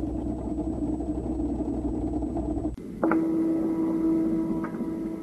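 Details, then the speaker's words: LG Tiiun Objet Collection plant grower: drain motor runs periodically for a few seconds to send nutrient solution from the shelf to the water tank, a low buzzing whir/"dudu" hum; normal operating sound, recorded louder than real. "선반에 있는 양액 을 물 탱크로 보내기 위해서 배수 모터가 작동하며 이때 드 그 또는 두두두 하는 모터 소음이 주기적으로 몇 초간 발생할 수 있습니다"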